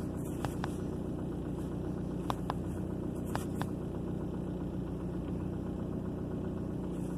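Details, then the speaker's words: 2003 Ford Focus, three months after head gasket sealer for a P0302 cylinder 2 misfire: steady, even, low idle rumble with a few faint clicks and no stumble or missing beat. The engine sounds healthy and no codes are showing. "so I don't actually have a code to show you but so far it looks like it's working"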